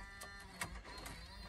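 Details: Chrysler Town & Country van, 226,000 miles, at key-on: irregular mechanical clicks and grinding bursts about every half second from the DVD player, something apparently stuck in the loader; it then stops. Cause unconfirmed.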